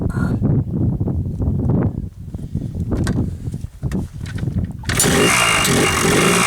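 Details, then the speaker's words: Yamaha Blaster two-stroke ATV after a top-end rebuild, cold start on choke with fuel mixed about 32:1: uneven popping bursts, then a steady, even idle with almost no smoke. Sounds good. "so it sounds pretty good I'm un sure if you can hear me but it sounds good she idles uh no smoking"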